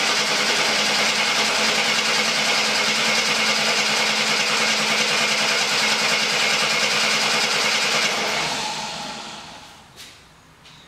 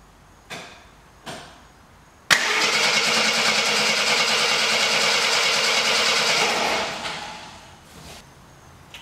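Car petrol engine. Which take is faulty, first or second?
second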